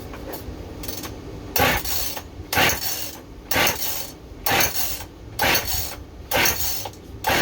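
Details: Rebuilt Husqvarna 55 chainsaw with no spark, decompression valve in, stop switch on and fuel visible: repeated rasping recoil pulls, about one a second, with no firing. It cranks but never starts.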